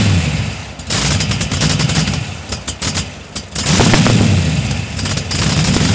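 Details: LS1 V8-swapped Datsun Z idling with an uneven, lumpy beat and irregular sharp exhaust pops. The rough idle's cause is not identified.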